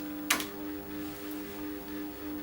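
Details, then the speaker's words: Two stepper motors on Gertbot controller, one at 100 Hz and one at 101 Hz: steady hum near 300 Hz swelling and fading slowly, the beat interference of the two motors; normal. "what you hear there is the interference the beat of the two motors against each other"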